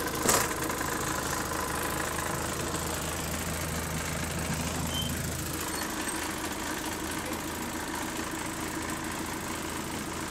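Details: ABL bus 2509 on route 109 at idle, loose uneven rattling over a steady diesel drone; a turbo problem is suspected, cause not pinned down.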